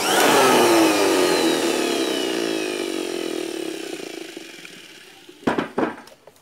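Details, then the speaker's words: Electric blower/air blower motor being checked for a stuck or noisy fault; a loose armature connection or brush case issue is suspected. Whine falls away while coasting down, then a rough rattle near the stop that should not be there; abnormal rundown rattle. "අවසානට එනවනේ රරරන් ගාලා සද්දයක්. එහෙම සද්දයක් එන්න බෑ."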